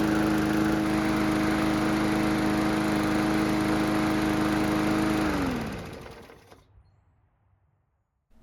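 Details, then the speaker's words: Mower after carburetor repair, on a quarter tank of fuel: a smooth, even engine beat at steady speed for about five seconds, then it shuts off and winds down cleanly. The engine runs great. "the good news is that the engine starts and runs great, but the bad news is that we're nowhere near ready to sell it just yet."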